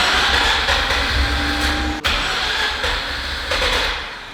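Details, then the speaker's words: 2004 Mazda RX-8 (13B rotary) after 20 minutes of battery charging: starter spins the engine at an even crank with a short pause but it never fires; crank no start, cause unconfirmed. "This is a 2004 RX-8, by the way. Getting it to turn over, but not firing."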